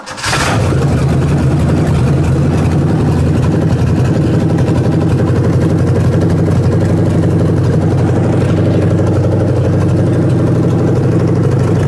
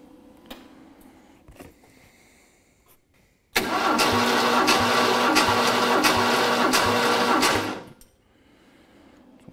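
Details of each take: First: Ford 302 V8 for a 1967 Mustang, started after timing was backed off to stop carburetor blowback: catches and runs with a steady deep rumble for several seconds, fuel line left disconnected, then dies; stalling from fuel starvation. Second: Ford 302 V8 for a 1967 Mustang, dry compression test after cam run-in: about four seconds of steady, evenly spaced cranking with no weak stroke; reads 140 psi, only 5 psi below the previous 145; even compression.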